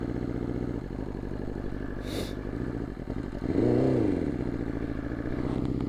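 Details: 2020 BMW S1000RR inline-four with Bren tune, warmed up after cold start on a 45°F day: uneven clattery idle and flat, lumpy rev with big power loss; at least one, possibly two ignition coils failed, second coil failure on this bike.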